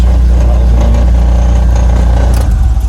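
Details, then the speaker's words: BMW Z3 1.9 four-cylinder, about 20 years with one family, idling: smooth, deep, even idle with no knocks, ticks or misses and no signs of overheating; normal healthy idle. "The engine sounds pretty nice. No signs of any overheating."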